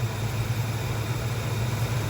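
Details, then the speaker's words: 1968 Dodge Dart with 360 V8, 727 automatic, single-point distributor, new mounts, cold on choke/fast idle; timing moved from 10° ATDC to 21°, steady low droning hum, no misses: timing too advanced. "oh okay um yeah that's too much 21° as you can hear it's still humming and it sounds like that"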